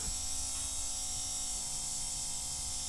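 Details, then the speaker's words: 1976 Alfa Romeo Spider, key on and engine not yet started: steady high buzz with an even hum under it, no surging or rattle; electric fuel pump running normally, fuel return being checked. "the pump is making noises yeah can you hear that"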